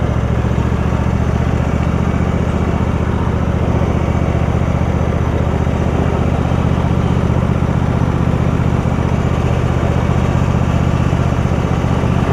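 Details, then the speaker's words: Husqvarna YTH rider, 24hp Briggs V-twin, 192.4 hours, after refitting fallen-off right-cylinder exhaust pushrod: even steady low thrum at constant speed, no misses, knocks or clatter; running pretty good. "They like a running pretty good."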